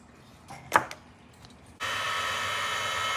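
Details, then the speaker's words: Mojave Grom RC on 3S, Rocket 25mm motor fan relocated on top of the motor, body fitted: light handling clicks then smooth steady high whir, no scraping or ticking, fan moves freely; normal fan run. "Body does fit on there with the fan. As you can hear, the fan is moving freely."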